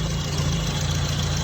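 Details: Classic Mini with stage 1 kit after ignition timing retarded from over-advanced idle popping: steady even idle, smooth low exhaust beat, no popping or misfire; mixture about stoichiometric, maybe slightly lean; normal idle.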